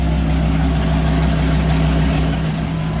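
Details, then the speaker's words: 2000 Dodge Viper GTS Tremec T56 transmission, after its rebuild for a rock-like clicking noise, run with wheels spinning in first and second gear; smooth steady drone, no grinding or knocking; normal gearbox operation. "first gear tires are spinning second gear second gear works"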